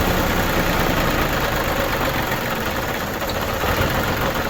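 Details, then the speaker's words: New Holland Boomer TC25D diesel tractor, engine still fairly warm on a cold 12-degree day, started after a fuel filter change: rough, uneven clatter that dips, labours and stalls from air in the fuel system; needs bleeding. "Oh, here it's struggling. So it's got air in the system. So what we need to do is we need to bleed it."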